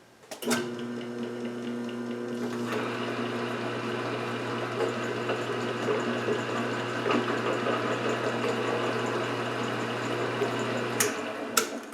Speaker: s is working and sounds okay. Excellent. Sounds good.